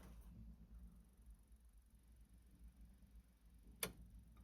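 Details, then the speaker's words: Vaillant boiler with F75 fault, reset to test; quiet room then one sharp relay click with no pump hum afterwards, the circulation pump never starts; the pump appears to have been leaking and is suspected. "So, you can hear the click, but the pump's not turning on. You listen to this carefully."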